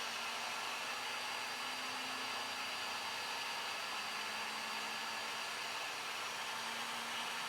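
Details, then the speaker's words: Flashforge Adventurer 5M 3D printer on day one, vibration calibration after leveling: steady high buzz with a shifting tone as the head shakes ever faster; normal input-shaping run. "pretty soon it's so fast you can't even see it you can just hear it as a buzzing"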